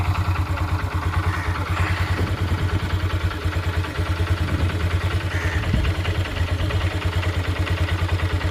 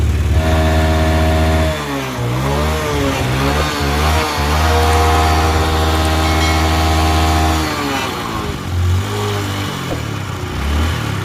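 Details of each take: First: Honda Dream Yuga after a full engine rebuild, started on the self-starter: single cylinder idles with a steady, even beat of about three pulses a second, no misses or knocking; light exhaust smoke after a diesel flush, smooth healthy idle. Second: Honda Dream Yuga with a worn-out engine: rough, uneven single-cylinder idle that dips and surges with shaky revving and smoke from the silencer; it stalls and fouls spark plugs every 2–3 km.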